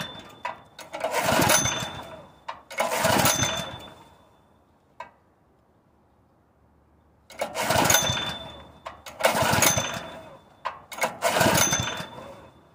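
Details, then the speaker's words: Honda GX160 on a propane-converted portable air compressor picks up in short uneven bursts, drops off to quiet, then catches again; it won't hold a steady run, and owner suspects a worn-out engine with weak valve springs. "I'm this close to putting a predator on here cuz I've had it with this engine I can't think of no reason for it to act like"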